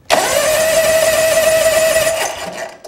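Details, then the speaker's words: Lawn tractor starter motor tested on the bench during starter replacement; spins up at once to a clean steady hum, pinion engaging the flywheel properly, then winds down freely with no grinding or high-pitched whine. "You saw that pinion come up and contact that flywheel?"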